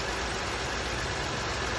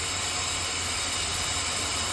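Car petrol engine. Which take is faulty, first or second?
second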